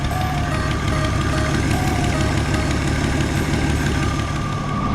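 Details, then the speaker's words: 1977 Jeep CJ7 Renegade, revived after sitting 9-10 years, warmed up and idling roughly: thin steady alternator whine that goes away when a ground is pulled, with voltage dropping slightly. "If you listen to that whine, you can hear the alternator. And that alternator whine just went away."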